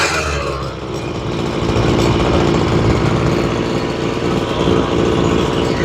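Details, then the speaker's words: Ryobi two-stroke weed eater after carburetor and fuel line replacement, low-side carb tuned at idle, buzzes steadily and picks up cleanly with throttle, no stumbling or bogging; running normally. "it's pretty normal when you first start working on them that sounds pretty good all right"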